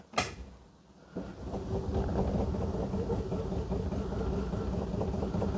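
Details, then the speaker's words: Three-wheeled Invacar with choke on maximum, in neutral, battery left sitting at 12.2 volts: sluggish cranking at about two and a half turns a second after a click; slow cranking from a weak battery. "Oh, that's not spinning very quick. Yeah, battery's left sitting."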